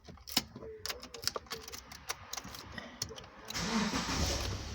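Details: 2010 Subaru Liberty with intermittent crank-but-no-start (no injection pulse when it fails): clicks and rattling, short crank, then catches into steady run; fault didn't occur this time, ECU suspected, not confirmed.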